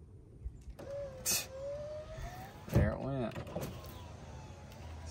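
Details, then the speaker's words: GMC Sierra door after parts cleaned, reassembled and tested: window motor whirs briefly, tone sliding, then stalls with the glass stuck partway; owner suspects the switch may need replacing. Power window sticking. "stuck i don't know what that issue is maybe i do need a new switch"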